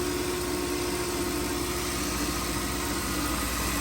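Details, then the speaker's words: 2011 Mercedes-Benz GL450 V8 after A/C compressor serpentine belt replacement and oil filter housing seal repair: steady, even idle hum, no knocking, squealing or belt chirp; runs normally, like new. "driving like new it's really great engine this made by Mercedes"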